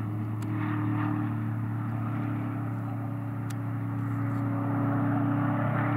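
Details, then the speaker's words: Corvettes and Camaros testing at Willow Springs Raceway: steady deep V8 drone with muffled note that never clears on throttle, sounding like it's loading up — engine bogging under throttle. "You hear the problem that they're having? Yeah. You hear that throttle? Like it's loading up."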